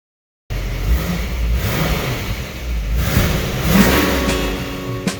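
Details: Rebuilt 1966 Ford Mustang 289 V8 after first start, running outside at about 25 degrees with good oil pressure. It blips up and drops back smoothly under background music, revving cleanly and sounding healthy.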